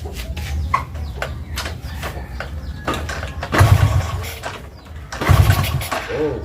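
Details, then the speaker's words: Honda Astrea Grand motorcycle after an ignition upgrade fitting a Yamaha Jupiter CDI, test run while stationary: engine catches and settles to an even idle, then two clean throttle blips rise and fall smoothly with no misfire; runs normally. "Setelah terpasang, saatnya melakukan uji suara. Uji suaranya terlebih dahulu. Kita nyalakan dulu."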